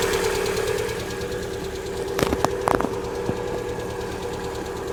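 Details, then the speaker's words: 2018 Lada Vesta 1.6, 84,000 km, cold start at about -32°C; light uneven tapping over a rough cold idle with sharper clicks, hydraulic lifters still pumping up; owner thinks later clicking when warm is likely the purge (adsorber) valve. "потом на прогретую вверх начинает какое-то щелканье это скорее всего клапан адсорбера тарабанит не обращайте на него внимание"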